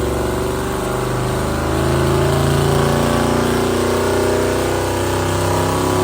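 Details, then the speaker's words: Newly built drag door car, small motor with big turbos, second start with a bit of revving: steady deep drone rising smoothly with revs; healthy running. "Bloody hell, going big turbos just to fill up some holes in the bonnet on a little motor."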